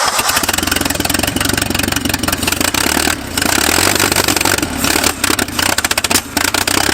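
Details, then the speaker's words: Abandoned 1950s-60s Willys Jeep truck on second attempt with choke held closed: engine catches and sputters with uneven, stumbling firing and dropouts, running terribly and briefly; points then found poorly sanded, possibly running on three cylinders. "Dude, it runs. It runs terrible, but it runs. At least I did for a second."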